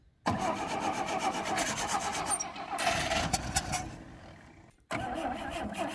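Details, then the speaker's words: 1960 Rambler American 196 flathead six, sitting since about 1983: gas poured into the carburettor vent, engine catches and sputters about four seconds, then fades and dies. The fuel pump delivers no fuel; its actuator appears not to be moving the diaphragm. "so messing with the rambler a bit i discovered that i'm not getting any fuel coming out of the fuel pump so i kind of looked at a little bit and it appears like the actuator isn't moving the diaphragm up and down"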